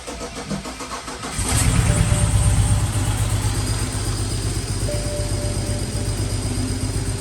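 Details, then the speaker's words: Car restarted in a garage after fuel lines were reinstalled and the system primed to address known misfires, with about a quart of extra oil added. It cranks, catches, then idles lumpy and uneven with a loping beat of about four per second; misfiring on several cylinders. "This sounds like dookie. It doesn't look like it's driving good."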